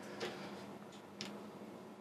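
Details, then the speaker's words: Diesel heater that has never worked despite new controller and ECU, glow plug on: low fan hum with soft pump tick about once a second speeding up, white smoke but no burner roar; not igniting, blocked exhaust suspected. "glue plug's still on fuel pump's getting faster fans getting faster uh we're slowly filling filling up the smoke in here"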